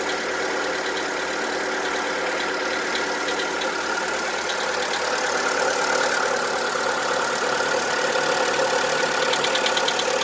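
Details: VW Polo 1.4 16V BUD petrol engine idling with hard steady diesel-like knock, piston slap, worsening over time; lifter cleaner, new lifters and XADO additive didn't help.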